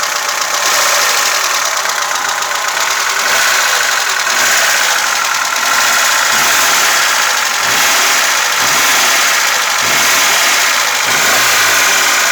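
Fast light ticking at about four per second rides over a steady idle, a dry tapping from the top end typical of loose valves.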